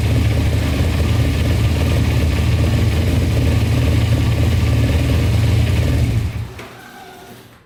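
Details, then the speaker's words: 2000 Kawasaki Ninja 250 with Yoshimura pipes, idling with choke off: rough uneven idle that sags and dies after about six seconds; owner suspects idle set too low or dirty carburetors. "Alright, she doesn't like to idle without the choke. So either the idle is set too low or carburetors are dirty."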